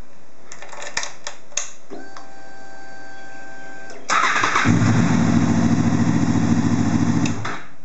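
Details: Honda VFR800 cranking briefly and firing straight up to a smooth, even idle after programming a new HISS transponder key into the ECU and refitting the crank position sensor connector.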